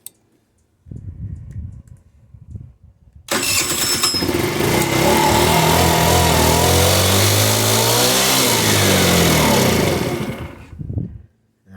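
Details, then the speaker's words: GY6 50cc/150cc scooter with a clogged pilot jet won't idle: starts only after accelerator-pump throttle squirts, then a few failed cranks. It keeps running only while the throttle is held, revs climb and fall, and it dies off throttle. It revs fine past quarter throttle. "I hit the throttle a few more times start it up and I keep hitting the throttle it'll stay running"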